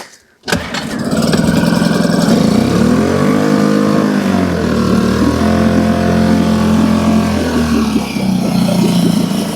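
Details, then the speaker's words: Suzuki 2.5 hp outboard, first start after winter lay-up on fresh E5 petrol, neutral, a little choke; caught first pull, buzzes up to steady even idle with slight waver, strong water jet; normal start and idle. "that that's both engines started up and the fired up okay so I'm pleased with that"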